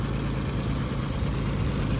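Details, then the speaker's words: Oliver 70 tractor after valve adjustment, water pump gasket leaking: steady even low rumble with no knocks or ticks, much quieter than the night before; healthy idle. "she is a lot A lot quieter than it was last night"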